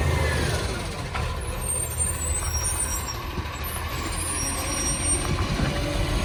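Heavy diesel with a loud, deep, raw roar and chuffing at idle, air brakes hissing around it; classic big exhaust leak.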